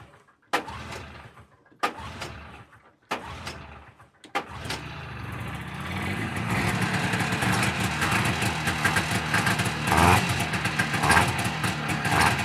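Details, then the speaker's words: Rare vintage two-stroke snowmobile, recently bought and off the snow, fired up with a shot of fuel: a few cranking pulls, then busy, fairly even idle without knocking; starts and runs fine. "So, anyways, as you can see, it fires up just fine."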